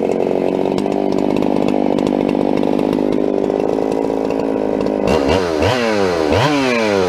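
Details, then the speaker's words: Modded Husqvarna 395XP chainsaw (Psy-Ko S zip kit plus torque tweak, only a couple heat cycles) cutting standing dead Ponderosa pine: bogs in the cut with uneven burbling four-stroking, never cleans up to full revs, barely runs; carburettor mixture too rich, missing under load. "i was pulling for about all i was worth coming up with that saw you can see as i came out of the cut it was a lot of pressure coming up i'm going with multiple seconds faster going up and down um and the thing barely runs"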